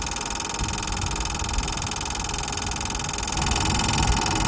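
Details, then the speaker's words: Nissan 2.5-ton diesel forklift with no-start problem: steady metallic rattle with fast uneven clatter over a hum; starter pinion gear seen already engaged with flywheel, suspected stuck Bendix drive or stuck solenoid, not confirmed. "Alright, we have a unit here that sounds like there is a rattling noise inside."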